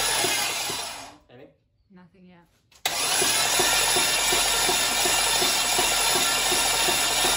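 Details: Junkyard LM4 aluminum 5.3 LS V8 on a run stand, stock cam, fresh 5.5 quarts of oil: starter cranks it with plugs out to prime oil. Even, quick whirring pulses about three a second and no firing; normal cranking.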